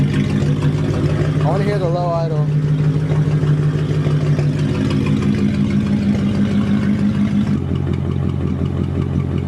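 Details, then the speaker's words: 1999 Mercedes E55 AMG V8 on cold start after new spark plugs in cylinders 5 and 7 for misfire (coil pack suspected): deep, steady idle with an even beat, settling lower with no obvious stumble; sounds much better. "let me see the idle it sounds good it sounds good"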